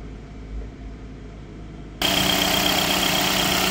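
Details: Skoda Octavia diesel whose revs creep to about 1,000 rpm soon after starting and moving; the owner suspects constant DPF regeneration. Steady raised idle with a faint whistle on top; DPF pressure reads 125 mbar, suggesting a worn DPF.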